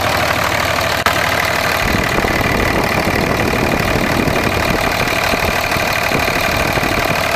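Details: 2004.5 Ram 2500 Cummins diesel: hard regular knock over the rattly idle, following engine speed; heard under load in gear and when the truck bounces off the brake, not at idle in park; cause unclear.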